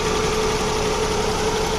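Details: Suzuki Bolan petrol engine after misfire checks with plugs and wire tested: a steady, even idle hum with a constant faint tone and no stumbles, a normal idle.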